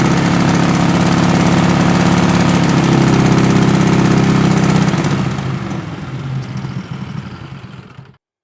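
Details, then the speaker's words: 20 HP Tecumseh twin-cylinder racing lawn mower engine with dual 34mm PVK carburetors, at 3/4 throttle during tuning tests: drone whose pitch steps and wavers with uneven loudness, rpm going up and down as if searching; surging at part throttle, cause not confirmed. "3/4 throttle where it sounded a little bit searchy. Searchy means that it's go the RPM goes a little bit up and down like it's trying to idle or find the spot"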